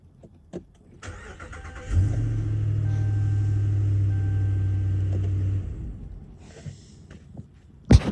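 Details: 2020 Ram 2500 that had power but wouldn't start, after fix: starter whirs briefly, engine catches and settles into a steady, even low rumble before shutoff; clean normal start.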